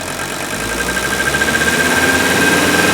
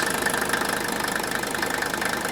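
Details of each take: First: Older Mercedes OM617 turbo diesel during fuel-injection purge from cans, revved up a little: steady sharp injector rattle over the engine note; diesel injector rattle. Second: Older Mercedes diesel, warm idle, oil filler cap loosened: even, steady diesel clatter with a soft, regular puffing as the cap dances lightly rather than jumping; crankcase pressure and blow-by are acceptable, a normal diesel idle.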